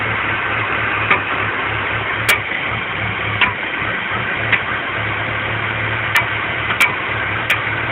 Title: BMW 325i E46 Rough Idle Popping Sound